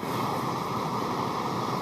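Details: European-made RCA Victor AM/FM/shortwave portable transistor radio: a constant rushing hiss present even with the volume turned down, so it comes after the volume control. Bad germanium transistors in the output or driver stage suspected; capacitors not ruled out.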